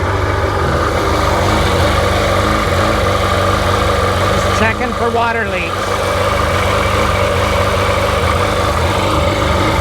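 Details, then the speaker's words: Rebuilt Sea-Doo GTX DI 951 two-stroke, first start on the hose with cooling water connected, no driveshaft fitted, checking for water leaks; steady even idle with smooth firing beat, no misses or stumbles; normal idle. "But first start fired right up and smooth."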